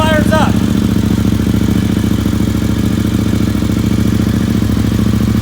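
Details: KTM motorcycle (immobilizer model through 2013, e.g. RC8 R, Adventure, Super Duke, Supermoto) starting on a newly programmed black key set up with the orange master key. It catches right away and settles into a steady, even idle with a clean regular beat. Normal start and idle.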